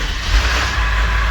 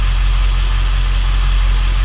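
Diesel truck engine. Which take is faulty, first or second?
first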